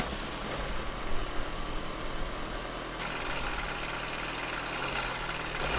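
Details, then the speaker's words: VW Transporter T6 camper, first start after repairing damaged cables and reassembling the engine bay: loud, uneven diesel clatter with a rough, lumpy idle that gets busier. Owner hears bad knocking, suspected from the gearbox area; unconfirmed. "that sounds very loud but we are running here I think there's a real bad knocking"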